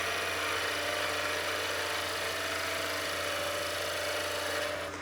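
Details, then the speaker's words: Skew chisel planing cut on a lathe, edge at 45° to the wood, very sharp tool, light pressure: steady hiss over the lathe's even hum, no chatter or catches; normal clean cut. "We have a very sharp tool and it's an efficient cut, so it doesn't take a lot of pressure."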